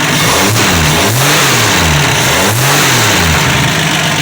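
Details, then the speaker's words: 1965 Dodge Dart 225 cid Slant6 after a cold start, unstarted for a couple of months: steady burbling idle with quick, clean rev blips and no knocks or misses; normal, healthy. "Well, as you can see, it's running. Sounds great."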